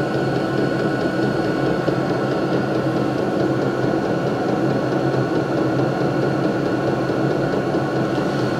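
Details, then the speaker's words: Vevor 12 V 8 kW diesel air heater, measured 67–68 dB at 20–30 cm: steady even whirring hum, constant fan pitch, light combustion roar, no pulsing or rattles; normal running. "irgendwas zwischen 67 und 68 debel in der Entfernung von ungefähr 20 bis 30 cm"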